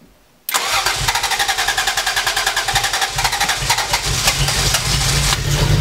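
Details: 1980 Toyota Supra barn find, first start after years sitting, with the catalytic converter stolen: cranks and catches into a loud, raspy, slightly uneven idle with sharp exhaust pulses; loud because of the missing cat.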